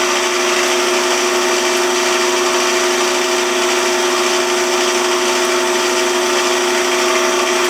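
Steady even motor hum with a constant high-pitched tone and no rhythmic thumping or chatter; the lathe is turning smoothly.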